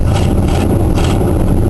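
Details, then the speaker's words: Oldsmobile carbureted V8 idling cold after cold start, lumpy beat with sharp popping puffs: exhaust leak at the rear of one head (broken stud, worsening) plus a rough-running valve, owner believes cylinder 7, not running on all eight. "that's a combination of an exhaust leak and that that valve is running a bit rough on I believe cylinder number 7even I can't quite remember it's on uh on this head anyway in the back"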